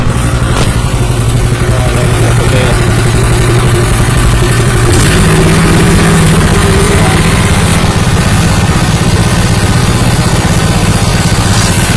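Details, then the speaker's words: New Honda WL30XN 3-inch water pump with Honda GP160 5.5 hp engine: even, steady single-cylinder beat that lifts to a higher pitch midway and holds smoothly; running normally. "friends, the voice from Honda wl30xn sounds like this, friends,"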